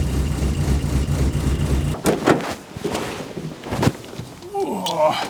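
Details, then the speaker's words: 1970 Morris Minor Traveller first start after SU carburettor rebuild, before adjustment: catches and rumbles unevenly for two seconds then cuts out; rough running, carb mixture not yet set. "well she might not sounded too good but she started so let's see if we can get her running a little bit better"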